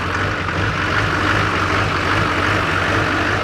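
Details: Diesel engine idling evenly after being jump-started using only a 4500 A portable jump box (no batteries), fuel pump primed; steady clatter with smooth low rumble, no misses or knocks: normal idle.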